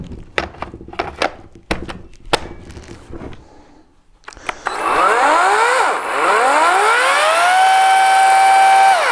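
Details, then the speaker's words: EGO battery tool used for several seasons, with a worsening throttle fault the owner believes is electronic: dry clicks, then the motor surges, sags and climbs before settling; delayed, unresponsive start. "okay did you hear that it it took a few seconds for it to get going and then when it did get going it went and it does that while you're cutting it it's frustrating it's gotten worse"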